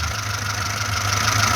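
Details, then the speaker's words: VAZ-2106 with a fully rebuilt engine, just started, idling at about 800-900 rpm as it should: steady, even idle with a smooth low hum, no knocking or ticking, no smoke from breather or exhaust; healthy. "автомобільчик працює на холостих обертах холості оберти приблизно десь біля 800-900 обертів так як і повинно бути"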